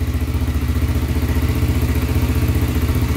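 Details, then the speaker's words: 1995 Honda 300EX single-cylinder, rebuilt after smoking and low compression from tight intake valves, at first start: steady, even idle thump with no tapping; quiet, smoke clearing. "all right i'm pretty happy with that i think it's quiet really really quiet doesn't get much better than that man not bad not bad at all"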